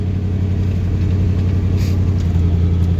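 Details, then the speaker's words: Squarebody one-ton truck that sat 20 years, new electronic distributor and electric fuel pump, possibly low on fuel: steady even low V8 rumble with no knocks or misses; normal idle, runs pretty good. "Yeah, this thing runs pretty good."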